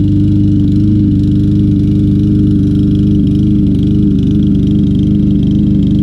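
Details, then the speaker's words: Troy-Bilt TB200 mower, 625EX 150cc Briggs & Stratton engine, long stored, running after carb bowl tapping and carburetor cleaner: steady but lumpy, uneven chug; rough running, old gas and stuck float suspected. "not running the best in the world let's keep adding a little persuasion to this"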